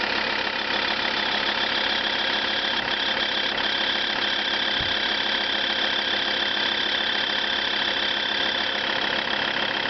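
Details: Lancia Thesis 2.4 JTD diesel at cold start: hard steady clatter of about three beats a second over a thin tinny drone; owner seeks a remote diagnosis, cause unknown.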